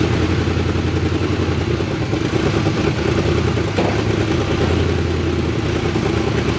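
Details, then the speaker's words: 1975 Chevy K10 square body 4x4 half-ton V8, sat 18 years, revived on starter fluid: rough, loud uneven running with clattery exhaust and debris out the tailpipe, then dies; tank likely empty, fuel-starved. "i think she's plum empty [Music] but man she sounds good look at all the crap we're shooting out the tailpipe man"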